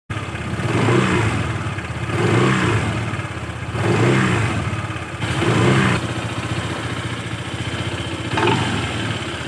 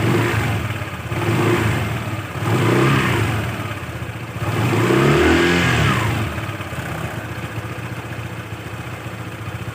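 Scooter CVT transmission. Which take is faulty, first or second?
first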